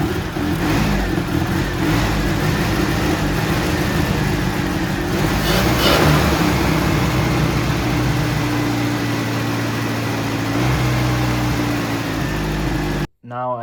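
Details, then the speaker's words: 1985 Mitsubishi Pajero on its original carburetor: uneven, stumbling idle that lumps and dips under light revs; owner suspects a spark misfire, checks distributor cap and rotor; misfire came from the faulty carburetor, fixed by a Weber swap. "Cuz sounds like a misfire to me and misfires usually come from the spark."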